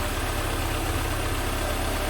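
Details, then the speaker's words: 1988 Mercedes 190E W201 with new valve stem seals, started with a fuel control-pressure gauge attached: an even, steady low idle rumble with no stumble or ticking, running smoothly. "So let's get this car started, and hopefully it's not going to fail me. So it's running really smoothly."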